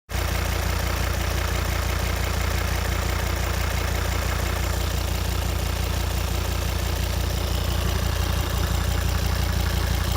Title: Volvo 136Kw Ticking noise